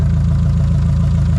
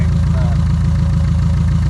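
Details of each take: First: 1976 VW Kombi air-cooled engine running after wiggling loose wiring amid electrical faults, cause of intermittent cut-out unknown: steady, even low thrum with regular pulse, no misses or stumbles; normal idle. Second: 1976 VW Kombi air-cooled engine idling, charging 14 volts: fast, slightly uneven buzzy rattle on each exhaust pulse from welding wire left inside the exhaust by the welder, not an engine fault.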